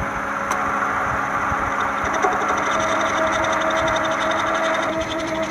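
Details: 1996–2001 Toyota Camry 4-cylinder at idle: a steady hum with a faint rhythmic ticking wobble, about four a second, and engine shake from a failing harmonic balancer that needs replacement.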